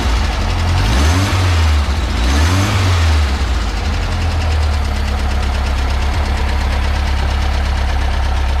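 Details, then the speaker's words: 1967 VW Bus, stock dual-port 1600 air-cooled engine just fitted with a supercharger kit, exhaust leak fixed: two throttle blips then a steady, even idle with no puffing or ticking; runs, though throttle is sticking. "seems to be running okay test drive so it runs"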